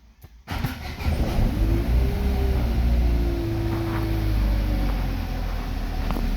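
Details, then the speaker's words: Chevrolet Lacetti/Cruze 1.8 wired with a direct connection: starts and settles into a smooth, even idle with no stumbles or misfire; normal idle. "yurdi. Xudo xolasa hech qanaqa перебой yo'q."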